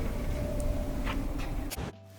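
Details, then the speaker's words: Samsung dryer after replacing broken drive belt: steady, even low hum from drum and fan with no squeal, thump or scrape; running normally with good airflow. "turn it on and back to normal burn like a kitten and nice amount of air coming out here too"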